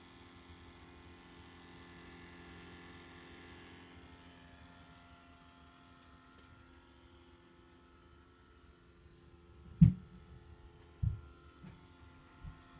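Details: 2003 Seat Leon Cupra, engine switched off: faint steady electrical buzz in the engine bay, then handling thumps; owner suspects the alternator, buzz disappears after 10-15 minutes; cause unconfirmed.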